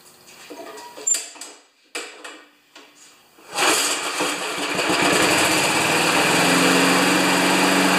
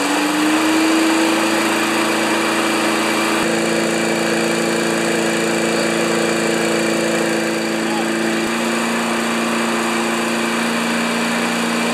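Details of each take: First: 1992 Wedgefield mower with Briggs & Stratton Classic engine, primed three pumps: after a few pulls catches and holds a steady low-pitched drone, only about 3000 rpm; top speed limited by throttle cable adjustment. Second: 1992 Wedgefield mower with Briggs & Stratton Classic engine, after blade balancing and priming: smooth, constant single-cylinder drone with no misses or knocks, then shut off; normal running.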